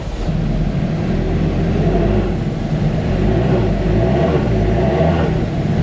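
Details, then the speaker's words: Ferrari with a newly fitted battery: starter churns steadily for several seconds before the engine catches, slow to fire. "It's going to go. Just give it a second."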